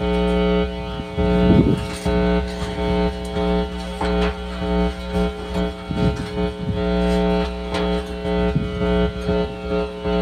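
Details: DV DB Audio Umac 1522 BT amplifier under repair: a constant low mains buzz sits under the music and never changes with it, mains hum from the amplifier's poor chassis ground.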